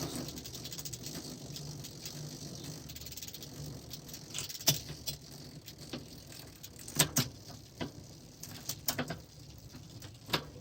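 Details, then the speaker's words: 1980s Raleigh Milk Race bike, newly fitted chain still dry and unoiled, after rear derailleur adjustment: light quiet chain patter with odd faint tick as cranks turn; no grinding, skipping or snags, much better than before. "Yeah, sounds okay. Sounds much better than it did before, anyway. Yeah, and I haven't even put any oil on this chain yet. It's still quite dry."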